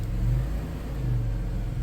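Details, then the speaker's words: 1994 Chrysler Town & Country AWD van after a new engine/transmission mount was installed, running in gear: low, steady rumble, no shudder, clunks, knocking or weird vibrations; normal running. "No weird vibrations or anything. I think we're good. Nice."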